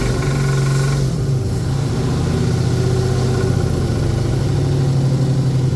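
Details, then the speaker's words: 1981 Ford Bronco 351 V8 first running after no-start: timing confirmed, fuel added, carb refitted on homemade adapter plate after backfire lifted it; deep, even burble with a brief blip through small resonator muffler and large tailpipe, healthy idle. "Well, after a lot of stuffing around, success. The Bronco runs. The 351's managed to fire up."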